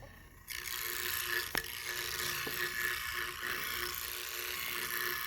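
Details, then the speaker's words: Leslie 147 speaker bottom two-speed motor stack before rebuild, fast motor: dry fast ratcheting rattle with sharp clacks as motor spins up; worn motor, cause not yet found. "oh this bad boy gonna be purring sounding quiet smooth but i want you to hear it now this is the before okay"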